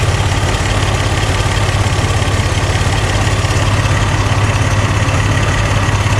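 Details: Barn-find Buick Regal Turbo after new plugs, wires, fuel pump, fuel filter and oil, with 150 psi compression after adding oil: a loud, lumpy idle with an uneven thump about three times a second over deep exhaust. One cylinder is still missing.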